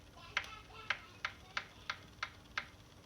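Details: Saris H3 smart trainer while pedaling, varying from slow to faster: sharp crisp evenly spaced clicks about three per second over quiet background; clicking of unknown source.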